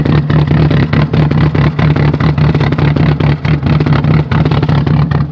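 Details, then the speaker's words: Chevy Cavalier with a cheap Interstate battery, cold start at 0°F: loud, uneven rap-rap-rap pulsing a few times a second at idle, like a rotary. The worst it has sounded in a long time; the cause is not pinned down. "oh oh she sounds terrible sounds like Kim v8 oh you poor car"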